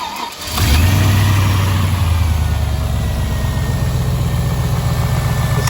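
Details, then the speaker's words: Rebuilt V8 engine, about 3,500 km after rebuild, cold start: quick catch into high idle with a light fast tick over the exhaust, persisting across oils; owner suspects a dead hydraulic lifter, possibly preload error or faulty new OEM part. "after about 3 and half th000 K I started getting a Ticky lifter and it became really annoying"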